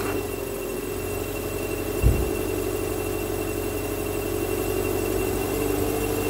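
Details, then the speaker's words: 2007 Subaru Forester, 2.5 L single cam, automatic, cold start in freezing weather after an alternator replacement: steady shrill squeal over the idle, source unconfirmed. Battery read 12.99 V before the start; charging now reads 14+ V. "well I wasn't expecting that a bit slow but you fired up can hear that wonderful uh squeaky squeaky noise"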